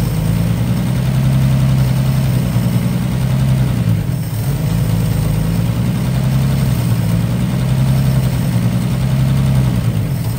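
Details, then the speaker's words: 1955 Chevy straight six running for a few minutes: steady even low rumble with no misses or knocks, sounds healthy, though it still won't draw fuel on its own. "uh here run for a few minutes she sounds really nice"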